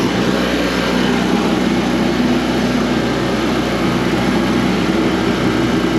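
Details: Coleman Powermate PM800 generator (600W, Kawasaki 4-stroke) after tightening the carb and adding fresh gas, choke off, powering a light: steady, even drone with no hunting or misses; runs properly.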